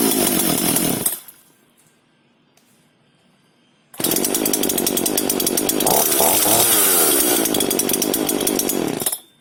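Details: FK136 Italian petrol chainsaw in very good condition, one of three identical saws, shown as a proper start: brief burst and pause, then fires promptly, revs up and settles cleanly with an even crisp two-stroke note; normal start and run.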